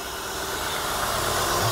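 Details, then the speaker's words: 2003 Honda Pilot 3.5 L V6, about 210,000 miles, with a known transmission problem and a tampered intake air temperature sensor. An even, quiet idle with a steady hum and no knocks or misses: normal idle. "runs great though i mean listen to that sounds smooth and quiet i think for a time this got regular service"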